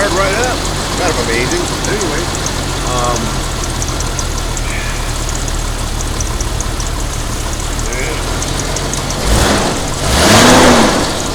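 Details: 1988 Jeep Comanche straight six that had been sitting, just started on a battery after much work: steady even low idle, smooth unbroken rhythm, no knocks or misses.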